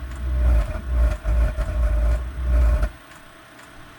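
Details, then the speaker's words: Cheap Chinese diesel heater that was not firing up: low roaring burn for about three seconds, then a sudden drop to faint hiss as the flame goes out; water ingress, chemicals or blockages suspected. "we're getting burned for a little bit and it went out I'm gonna take a couple Cycles here see if we can try this"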